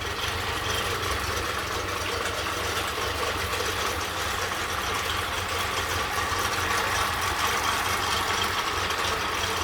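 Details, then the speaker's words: Honda 30 outboard after carburetor cleaning and lower unit overhaul, cooling and thermostat working: steady, even running with no knocks or misses over the rumble; runs cleanly. "And so it works without noise, everything is fine, no knocks, the lower unit has been overhauled. Cooling is working, the thermostat is working."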